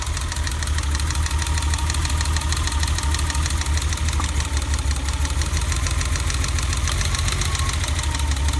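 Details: BMW E30 at idle after new distributor cap and rotor: low, lumpy idle with uneven beat that stumbles now and then — rough idle misfire, cause suspected, not confirmed.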